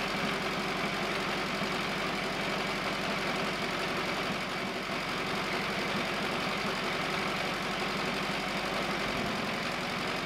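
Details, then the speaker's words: 1950s Caterpillar 955 Traxcavator pony motor, after an oil change and new spark plugs (previously wouldn't start without ether): small gas motor ticks over with a fast, even, steady beat; smooth, healthy normal idle. "it even idles well i can't believe it idles"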